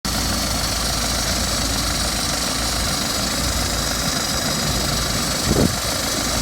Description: BMW 320d F30 2012 plate rattling noise on cold start? Can someone help me with what could it be?